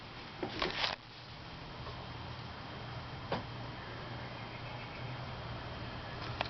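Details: January 1990 SMC Laguna 36-inch ceiling fan, just cleaned and oiled after 25 years in a garage, two blades badly warped, running on high and shaking, needs balancing: quiet whir with irregular sharp ticks roughly every three seconds.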